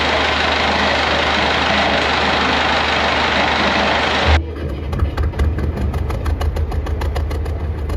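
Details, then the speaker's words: Perkins aa35001 marine diesel on the sailboat Carla, first start after almost a year, winterized, fuel pump primed, with cooling water and some smoke; after start-up it settles into an even, steady ticking idle with no misses or knocks. Normal idle. "it's like he's never done anything else perfect Mr Perkins is living [Applause] again"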